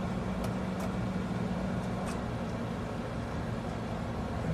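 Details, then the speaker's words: American Standard/Trane AC condensing unit, 246 V measured, powered with the capacitor removed: low steady electrical hum with no start-up surge; compressor trying but unable to start without its capacitor. "you might hear the compressor humming trying to start but without the capacitor it's not going to be able to"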